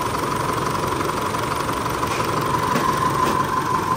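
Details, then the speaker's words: Car after fuel tank cleaning and injector check for long-crank/no-start (fuel not reaching pump), restarted after sitting about 30 minutes: smooth, even idle with steady hum, no misses; long cranking fixed, normal idle. "ทดสอบทดสอบอุยจบแล้วนะครับลากยาวไม่มีแล้วนะคันนี้จบล้านเปอร์เซนะ"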